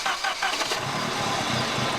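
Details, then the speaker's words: Engine of rebuilt car with about 800 miles since engine-out work, idle problem still unresolved; idle dips and surges with light metallic rattle, struggling not to die at low rpm, fine above idle; cause not confirmed. "And that is such a distinctive sound, right? Nothing sounds, to me at least, nothing sounds like that. You'll see I listen to that rattle. Yeah, man, when the RPM gets low, it just struggles not to die."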